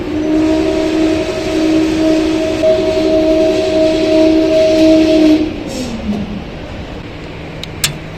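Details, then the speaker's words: Xinda lift motor on a cheap shopping-center lift in Lyon, France; these motors' bearings are said to fail early: a loud steady two-tone whine for about five seconds, then the pitch drops as the lift stops. "this is the cheapest shopping center lift so far this thing sounds terrible"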